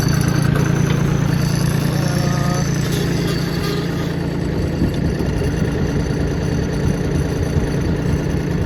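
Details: John Deere 770 tractor with 4,257 hours: low, steady diesel chug that settles into an even idle with no knocks or misses; normal start and idle.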